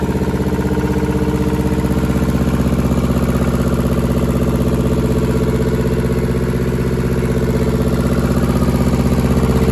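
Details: German air-cooled Deutz F2L511 two-cylinder diesel, ex-forklift, sat about 5 years: even clatter at about four beats a second, steady throughout; idling cleanly with no misses or knocks.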